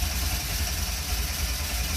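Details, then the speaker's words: Fiat X1/9 Bertone cranking with foot to the floor, suspected flooded or plugs fouled; even starter chug about four beats a second, catching faintly but never running. Aftermarket advanced cam gear. "Oh! Tried to go. I think I got to pull the plugs out. So badly wants to start."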